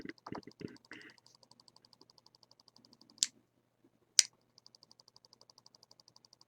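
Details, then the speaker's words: 1995 Nissan 300ZX low-oil-pressure workaround: oil pump relay wired straight to an Arduino Nano pin chatters with fast, even clicks and louder snaps; the Nano can't supply enough coil current, later driven through a PNP transistor. "So by code logic that I've put in it, it should be trying to turn the relay on as soon as I let go of the switch. Let's try it. If you hear, it just sits there and rapidly clicks."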